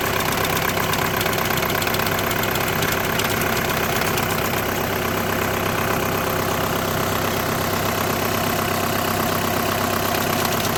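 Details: 2008–2014 VW with DSG gearbox at even idle: a constant coarse rattle sits over the engine and never eases, likely from the dual-clutch plate or its bearing. The diagnosis is clutch plate vibration.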